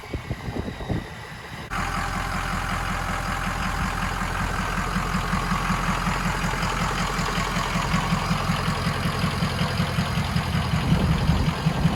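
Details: 6.0 Powerstroke King Ranch with new KC Stage 2 10-blade VGT turbo, idling during vane relearn: even diesel clatter with steady airy turbo tone, no surging; normal idle.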